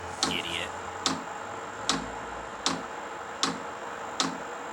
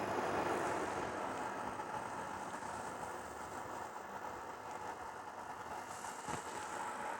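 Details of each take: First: Cheap Chinese 12 V diesel heater, first start in a shed: sharp even ticks a bit over once a second from the dosing fuel pump priming, with a fairly loud buzzing from the heater unit; normal priming. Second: Cheap Chinese 12 V diesel air heater in a shed, first start: loud steady blower buzz with no fuel pump ticking heard; fuel pump not primed, priming by holding up and down buttons before switching on.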